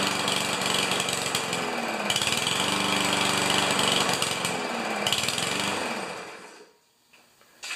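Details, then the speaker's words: Yard Machines mower with Powermore engine, fresh oil, clean air filter, runs on direct fuel feed; runs briefly with a raspy, wavering beat then sags and dies in about 15 seconds every time; starts then stalls. "I've heard it run. It's that typical thing, right? It starts and stalls. So let's just give it a go."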